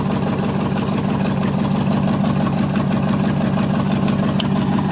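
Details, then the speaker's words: 1973 International 1210 2WD 3/4-ton, 345 V8, automatic, two-barrel carb, cold start after nearly two years sitting, coil hot-wired from the battery side: even, steady idle with a low rumble and no misses or knocks; it runs fine. "hey runs pretty good when it's got juice to it"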